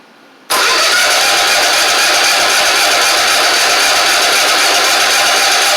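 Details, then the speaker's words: Troy-Bilt zero-turn mower, 2 years old, Kohler 24 hp 7000 series, weak battery, water in fuel, poorly fitted aftermarket carburetor: steady hissy cranking that never catches; fuel pump delivering, owner suspects bad carb; no start. "It's definitely pumping gas. there. Whatever it's pumping, it ain't pumping through unless the carb is bad. It's very possible that the carb is bad."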